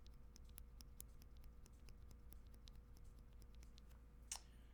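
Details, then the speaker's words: Lubed Tangerine MX-style linear switch on custom 8X MKII TKL keyboard: faint sharp dry ticks as key is pressed in quiet room; ticking believed from contact leaf, bad enough to be felt. "far as i know it is the leaf and so on the ones that are so bad that you can actually hear them you definitely feel the the ticking as well"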